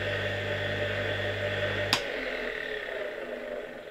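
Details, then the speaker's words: Reassembled 1958 "Croatia" single-phase motor (converted to a grinder) switched off: one sharp metallic click as the rotor's centrifugal switch opens the auxiliary winding circuit, then a soft rubbing hiss as contacts reclose while coasting; normal centrifugal switch operation. "Najpierw jest takie metaliczne kliknięcie, kiedy ten wyłącznik rozłącza obwód, a potem jak już silnik zwalnia, słychać taki szum, jak już znowu te styki tutaj o siebie obcierają."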